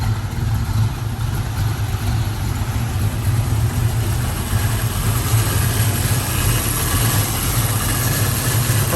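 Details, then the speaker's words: 1967 Ford Mustang, rebuilt 289 V8, C4 automatic, dual exhaust, 51,385 miles: deep, even V8 burble at idle with a steady low rumble and no knocks or stumbles; healthy normal idle. "Sounds good. This baby wants to go."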